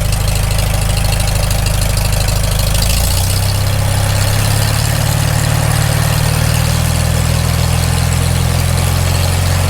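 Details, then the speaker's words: Farmall Super M just after rebuild, warming up, given a little rpm: deep, even thrum rising slightly then holding steady, no knocks; normal idle. "sounds good i like it"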